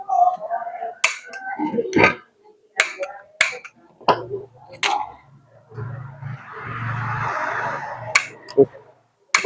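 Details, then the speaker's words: Gas stove after clearing a spider web from the magnet valve area: sharp dry ticks about each second with brief hiss, burner never catches; dirt inside the valve body suspected, and cleaning it brought the flame back. "Terus ternyata butuh dibersihkan juga, ini ada kotoran di dalamnya mungkin ya."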